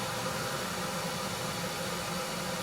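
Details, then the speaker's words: 1974 HydroTherm gas-fired hydronic boiler firing with pipes around 50–52 °C, pressure about 8 and water temperature about 190: soft, steady burner roar with an even hiss and no pulsing or rattle. Running as it should, carbon monoxide has settled. "Everything is running as it should. Carbon monoxide is settled down."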